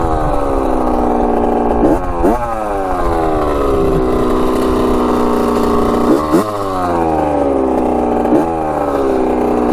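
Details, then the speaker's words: Rebuilt 1985 Yamaha YZ80 two-stroke on a test ride, warm, starts first kick: crisp blips rise and fall cleanly and settle to a steady crackly idle. Smoking out the back, silencer not working great, front sprocket worn; runs good. "sounds good doesn't it she's a little ripper sounds so good yeah she's sounding pretty good"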